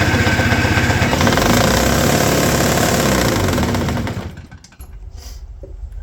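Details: Toro S-200 two-stroke snowblower, roadside find rehabbed, cold, choke on, electric start: long cranking chatter at about four beats a second that fades without a clean catch; hard cold starting, cause suspected, not confirmed.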